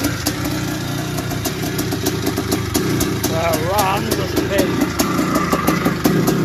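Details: 1981 Suzuki RM465 two-stroke barn find, air filters turned to powder, first start after fuel poured down the plug: uneven idle with a light, fast tinny rattle; owner suspects it needs a top end, heavy smoke suggests blown main seal, clutch side suspected.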